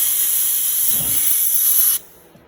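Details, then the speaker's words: Mercury 7.5 two-stroke outboard after a re-ring and reassembly, crankcase pressurised to about 7-8 lb from a compressor: a strong steady hiss of air escaping from the little drain fitting, which was later plugged. "it it's coming out of the middle of the crankshaft H guess I got to figure out how to plug that"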